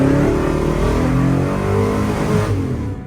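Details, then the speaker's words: 1968 Chevy Biscayne, 388ci small-block V8, 200-4R overdrive automatic, original governor reinstalled, left in drive under full throttle: revs climb and stay wound up with no upshift. "Don't shift. Huh. Still won't shift."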